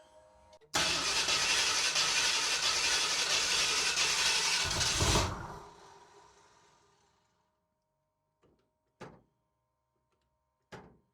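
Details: 1978 Ford Bronco revived after decades in salvage yard, fuel system primed, choke on, first start attempt: about four seconds of fast cranking, roughly four turns per second, never catches; cranks but won't start, maybe doesn't want choke.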